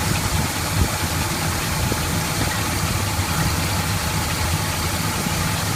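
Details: 1981 Chevy K10 with rebuilt V8, about 5,000 miles since rebuild, started after replacing a leaking fuel pump with a new Delphi pump: steady, even low idle rumble with no misses, knocks or ticks; healthy.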